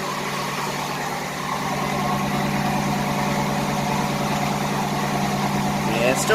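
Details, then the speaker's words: 1988 Buick Reatta 3800 V6 restarted after sitting 10 years: a rough, lumpy idle with an uneven thump and stumbling exhaust beat, a misfire at idle. Raw fuel was noted; owner suspects an injector, unconfirmed. "yeah definitely got a misfire"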